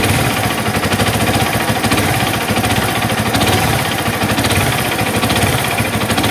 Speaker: Masih berbicara masalah bunyi kasar yang ada di fiction series, mulai dari fiction old hingga M.A. King nih. Nah, bunyi kasarnya seperti yang kalian dengar di video di awal.